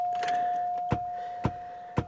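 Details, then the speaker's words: 2004 Cadillac DeVille jump-start test with a Gooloo GT4000 jump starter kept two weeks in a -4 °F freezer: three sharp clicks about half a second apart over a steady tone as the boost is pressed, engine never cranks. "let's just push the boost again it clicked again I heard the module"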